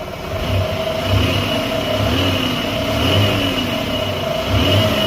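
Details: Buick petrol engine after a misfire diagnosed by oscilloscope and fixed by replacing an ignition coil: revs up and down smoothly, even tone, no stumbling; normal running.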